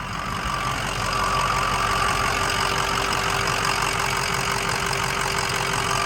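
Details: 2005 Ford Excursion Eddie Bauer 6.0L Powerstroke diesel 4WD, 185k miles, turbo resealed and new up-pipes, no warning lights: even idle clatter with a steady rhythm, no stumble or odd knock; sounds healthy.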